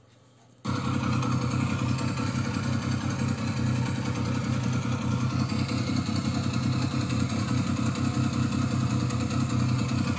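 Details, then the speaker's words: Triumph Speed Triple T509 at idle: steady three-cylinder idle with a light, uneven metallic clatter over the exhaust beat; rattle suspected to be the cam chain tensioner, to be checked at 1500–2000 rpm to see if it disappears. "wenn es weg geht was ich mal annehmen weil das klingt für mich nach steuerketten spanner od"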